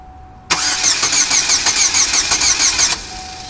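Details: Oldsmobile Alero crank no-start, which had only clicked during an earlier boost attempt and smells of gasoline. The starter cranks at about three even beats per second and the engine never fires; the fuel pump had failed, and replacing it fixed the car.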